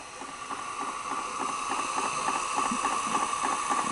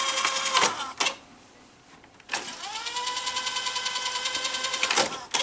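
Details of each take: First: Sanyo 6800 Beta VCR after board repair, slow mode: quick even ticking, nearly four per second, over a soft steady whine as the tape advances frame by frame, working normally. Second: Sanyo 6800 Beta VCR being tested after its board was refitted: mechanism clunks, then a motor tone rising and levelling under a fast ticking rattle; suspected cure is removing the take-up and supply reels and oiling their posts.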